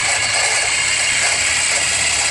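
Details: Engine running, sound heard through a screwdriver held on the power steering pump: only a smooth, steady whirr with no knock or rattle, so the pump sounds normal.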